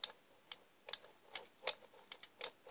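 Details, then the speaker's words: Legrand 380 12 manual fire alarm call point, brand new, being closed with the reset key: sharp, dry, light clicks, about eight in three seconds, crisp and clean; reset mechanism latching properly. "mais hélas vous avez également filmé lathion détecte la vous entendez le clic"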